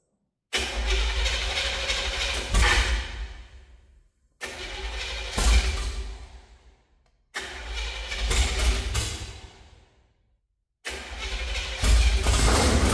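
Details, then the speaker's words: 1968–69 Chevrolet C50 truck engine on a swapped chassis cranks, catches and runs unevenly, missing, before dying; it runs rougher than earlier starts because the loose distributor cap jumped off, putting ignition out of time, so timing must be redone. "it's definitely not running as smooth as it was the first couple of times there's no so something has something happened with that cap I'm going to try it one more time it it has it jumped it off it's out of time now got redo all timing"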